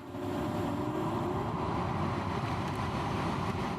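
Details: 2001 BMW 330i after replacing the blower motor resistor (fan had been intermittent and ignored speed control): steady even rush of air, faint low hum, no rattle or squeal; normal blower operation.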